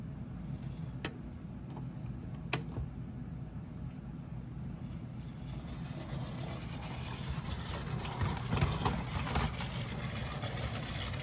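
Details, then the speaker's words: Mainline Railways Royal Scot model locomotive that previously squealed, running after disassembly and reassembly: smooth, steady motor whir with light rail clicks and no squeal. It now runs normally. "Yeah, that's very good. That's excellent. Really happy with this because it's such a nice locomotive."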